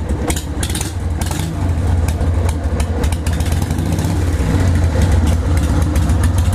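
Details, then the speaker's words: Carbureted 1998 Harley-Davidson Sportster 883 after replacing the carburetor accelerator pump diaphragm to fix a gas leak when letting off the throttle: steady, loping V-twin idle, even and unbroken with no misses or pops. Running healthy. "Get it checked out, because the bike sounds fucking amazing."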